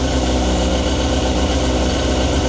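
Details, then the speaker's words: Newly bought older inline-four sportsbike idling after a cold start, old oil not yet changed: even burbling idle, steady low throb, no ticking or knocking; owner says it sounds better than his Fireblade. Normal idle. "Well, that sounds sweet. That engine sounds better than my Fireblade, to be honest."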